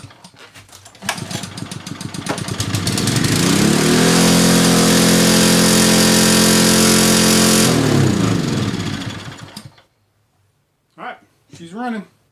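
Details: Kohler Courage XT-7 173cc on a Husky 2600 PSI pressure washer, after fixing a no-start from bad push rods, fires after a few pulls, steady even drone then clean shutoff; normal running.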